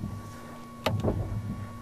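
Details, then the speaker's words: Lamborghini Gallardo Superleggera E-Gear single-clutch transmission, foot on brake, shifted to neutral: click then steady electric hum of hydraulic pump building pressure for clutch and shift actuators; normal. "i'm putting neutral that's the pump that's the hydraulic pump so every time i shift the gear"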